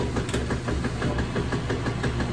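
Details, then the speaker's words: Kenmore 80 Series top-load washer that wouldn't spin, running with a temporary lid switch bypass: steady low motor hum with even soft pulsing, no grinding or clunks; now draining and working normally. "And you can hear it is now working."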